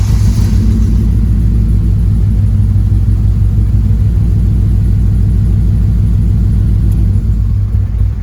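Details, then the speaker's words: 9th-gen Honda Civic Si after injector connectors and injectors checked good, spark next suspected; loud rough idle with uneven pulsing thumps: misfire. "So it didn't do nothing different than what it has been doing. So the connectors are good. The injectors are good. Now the only thing I can think of is we move on to spark and see maybe possibly something in the spark."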